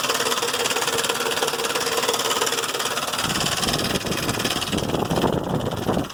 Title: 2005 Explorer 4.0 engine making noises lifters or timing chain?